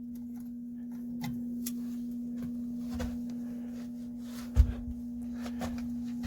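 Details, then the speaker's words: Camper AC switched on, about 90° inside: single steady mid-pitched electrical hum with no rising whoosh of air; blower motor apparently stalled on a stuck fan, not blowing air, shut off to avoid burning up. "sounds like the blower might be stuck I'm going turn it off before it blows up"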